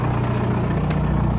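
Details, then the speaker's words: MK4 Jetta ALH TDI diesel just after the A/C compressor was deleted and replaced with a Dorman 34214 blank pulley; even, low diesel clatter at idle with no grinding from the belt drive. Normal idle. "You can tell it sounds a lot better. Nothing but diesel"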